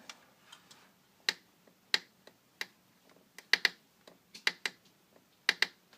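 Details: VW GTI engine stopped while being stored for winter, sharp dry clicks often in pairs when the intake manifold is rocked by hand; cause unknown, engine mounts ruled out.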